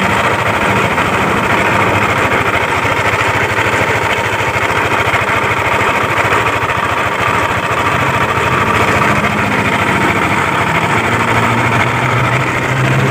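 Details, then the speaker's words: Yamaha Aerox scooter, noisy at the CVT case and primary pulley, reassembled while awaiting parts; a rough idle with a loose, uneven metallic rattle. Cam chain, tensioner, camshaft bearing and rocker arm were checked OK, so the noise is traced to the con rod and crankshaft bearing. "Nanti setelah dipasang bisa teman-teman dengarkan kronologi suaranya seperti apa, biar teman-teman jadi tolak ukur bahwa suara seperti ini itu berpusat dari setang piston dan bearing kruk as."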